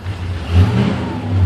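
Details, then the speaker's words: 1953 DeSoto Firedome with 31,204 miles, in neutral with clutch released and radio turned off. Deep, smooth rumble swelling gently with throttle, no ticks or knocks; oil pressure very good, a strong engine running normally. "I'll turn this radio off so you can hear the engine. One thing to notice is the oil pressure is very good. This is a strong engine."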